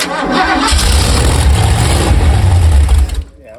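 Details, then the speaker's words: Rebuilt Ford 289 V8 for a 1973 Mercury Comet, first start on an engine test stand with mufflers fitted. Catches within a second into an even, deep V8 rumble before cutting off. Normal start; a water pump gasket leak was found afterwards. "That's sounding good, isn't it? >> Yeah, it was working."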